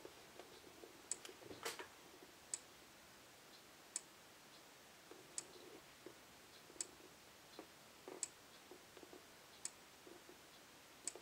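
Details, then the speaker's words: Faraday 6120 horn/strobe fire alarm from the 80s or 90s under test: faint sharp clicks about every 1.5 seconds in a quiet room, no capacitor noise, only the click at a slow flash rate; normal strobe flash clicking. "I don't hear any capacitor sounds like a uh later strobe like sort of like what they sound like today little no noise to them at all except that click awful slow flash rate"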